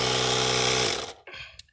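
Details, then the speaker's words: 12 V tire inflator on the Hulkman Alpha 85's 10 A / 150 W DC port: steady buzzing motor tone at constant pitch, then a clean cutoff; runs normally and fills the tire fast. "So it airs up my tires a lot faster using this unit than it would if I was trying to run this off of my car plug. And that's really handy, boy. It filled it right up real fast."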